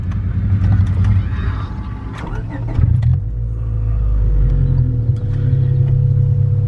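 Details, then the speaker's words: Stock 2000 Honda Civic, stock fuel system, on E85 it isn't built for, AFR maxed at 18 before a stall; low uneven rumble that stumbles and sags as the throttle opens, never revving cleanly, very low power. Lean misfire, hesitation. "barely wants to rev it's really low on power right now yeah it's not uh it's not running very good"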